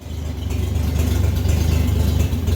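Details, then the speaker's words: 1964 Chevrolet Bel Air six-cylinder after tune-up with new plug: low, smooth, even idle with steady throb, no misfire or knock; idling healthy again. "we got her idling again [Music] nice you guys operation through Kevin wrong guys since we tuned it up too with the new plug listen to that Idol"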